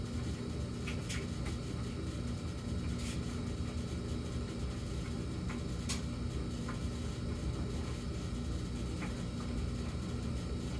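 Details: Samsung gas dryer with an intermittent humming in a fixed pattern: a steady, deep droning hum with faint light ticks. High hum for 14 seconds, then low hum for 38 seconds, then no hum for a few minutes. The cause is unknown.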